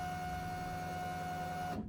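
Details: 1992–1995 Honda Civic after fuel pump replacement, key turned to on with the battery reconnected: an even, mid-pitched hum for under two seconds that cuts off cleanly, with no leaks; normal fuel pump prime.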